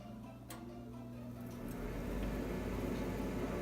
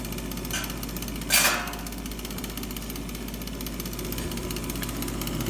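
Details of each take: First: Old Bryant furnace after the noisy inducer motor assembly was replaced with a new one: a click, then a low smooth hum builds steadily, and the new inducer runs quietly and normally. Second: Old Bryant furnace inducer motor assembly, noisy for years before replacement: steady motor hum with a rough rattling edge and one sharp knock.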